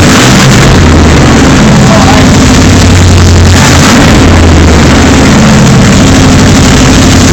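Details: 454 Chevy V8 in an Argosy motorhome, second start after rebuild, no exhaust system fitted: very loud raw clipping rumble with throbbing low beat rising and falling with throttle.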